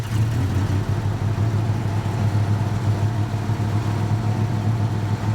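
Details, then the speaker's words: 1969 Pontiac Firebird Convertible, 350 two-barrel with mild dual exhaust, odometer about 14,834 miles: deep steady even exhaust rumble at idle with no knocks or misses, not overly loud; healthy idle. "it's a normal 350 two barrel with a mild dual exhaust on it so it's not overly loud or offensive but it's a nice cruising car"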